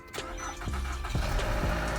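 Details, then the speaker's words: Copart auction car started for the first time after a long wait: a quick crank, then it catches and settles into a steady, even idle with no knocks or misses. A clean, normal first start. "Oh my god, it cranked right up. Guys, it cranked right up."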